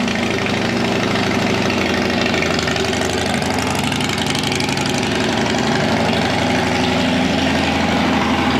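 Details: Police Harley Road King converted to sport tourer, first test start with pipe just fitted, untuned: loose, lumpy V-twin idle, uneven potato beat around four pulses a second, steady with no knocks or grinding.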